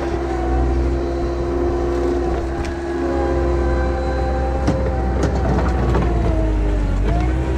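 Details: 1999 Bobcat 864 tracked skid steer digging after a rebuilt right-side drive motor replaced a weak, whining one: diesel pulling steadily with a faint whine that dips and recovers; tracks drive evenly, working well.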